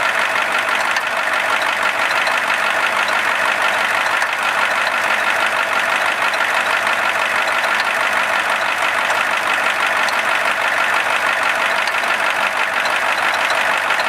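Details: IDI diesel at steady idle: constant harsh clatter with no let-up; engine knocking, cause not yet pinned down.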